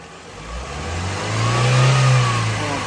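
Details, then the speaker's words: Chevrolet Onix engine revving after timing belt, tensioner and pulley replacement; previously a tapping/vibration at 3,500–4,000 rpm from a loose timing belt, now revs smoothly with no knocking, rattling or belt noise. "E agora ficou zero. Trocou a correia, as coisas."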